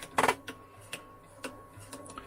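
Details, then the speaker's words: First-model Wolverine Film2Digital MovieMaker 8mm digitizer: harsh grinding burst, then sharp clicks about twice a second as the belt drive binds and slips on sticky goop. "there was the sound it binds and then it does all that clicking as it slips finally"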